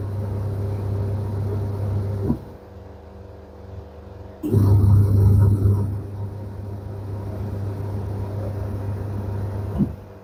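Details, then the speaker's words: Candy semi-automatic twin-tub washer, after the wash motor fix with the belt refitted: steady low hum, drum turning, stopping and reversing cleanly, no slipping or scraping; spin motor also fine; normal wash cycle. "One cycle spin. You can see the spin motor running well, no any issue."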